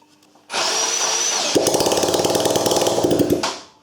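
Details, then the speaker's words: Miserable ATV being revived, spark confirmed: small engine snaps up to a buzzing rev, then crackles with rapid uneven pops and flaming exhaust backfire for two seconds before cutting off; rough, spitting running. "so i'm gonna fire it up again and this time we're gonna take a look at the flaming exhaust because it looked so cool"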